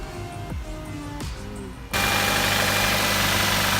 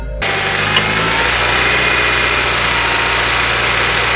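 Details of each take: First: Nissan Qashqai after auxiliary belt replacement for a squeaky belt: smooth, steady idle with no chirp or squeal from the belt drive. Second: Nissan Qashqai, engine starting and idling: thin steady high-pitched squeal held throughout from a slipping auxiliary belt, before belt replacement.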